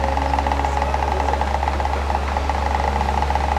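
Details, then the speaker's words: Asahi electric fan, previously repaired elsewhere: a steady motor hum with an uneven rattling knock about four a second from the motor's rear, present when oscillation is disengaged, gone when it swings. The motor shaft knocks against an overlong rear screw. "maing nirinig niung tagaktak na yan lumalagatok parang may nagvibrate sa loob hindi po normal yung gany tunog May problema po ito"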